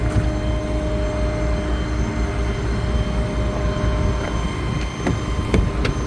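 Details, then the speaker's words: 2017 Ford F550 4WD bucket truck, 6.8L gas, idling with the PTO engaged: thin constant whine above the engine from the PTO, which goes away when the brake is popped; normal. "but I don't know if you can hear that whining noise that's a PTO running if I pop the brake it'll go away"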